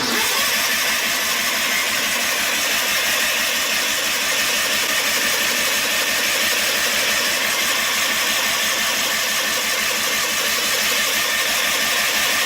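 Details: John Deere 316 lawn tractor, cold start with gas in the tank; choke picky. Steady starter churn about three beats a second that never catches: long crank, no start. It later started after plug check and gas poured into the carb.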